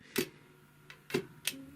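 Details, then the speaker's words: Typical GC 2605 industrial cylinder-arm triple-feed sewing machine, turns stiffly and creaks, handwheel turned slowly: sharp uneven clicks and cracks as the walking foot drops too late relative to the feed dogs; feed mechanism crackling from mistimed feed. "вот пошло продвижение и смотрите в момент продвижения у нас несоответствие зубьев продвижения зубьев и продвижения лапки"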